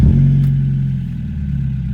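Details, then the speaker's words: 1991 Mazda Miata, 140k miles, many aftermarket parts, first start after a dead battery: deep smooth rumble easing from a light rev into an even idle in neutral; engine sounds healthy. "that does it oh that really does it getting neutral here whoo I like that sound that is not too bad"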